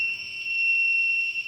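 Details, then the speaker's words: Zosi CCTV recorder at power-on, no cameras connected: continuous high-pitched buzzing tone, red power light, no boot or VGA output; fault traced to a blown capacitor in the 12 V power supply. "you just get a buzzing noise it doesn't do anything else and I've connected up to the TV and there's no VGA no graphics so I'm gonna have a look at that today"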